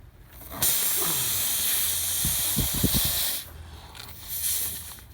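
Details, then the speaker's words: Bridgestone run-flat tubeless tire punctured by a long Robertson-head screw: sharp steady hiss of air starts abruptly, holds about three seconds, then dies away. "that's a really long robertson headed screw so you can hear the air coming out of there"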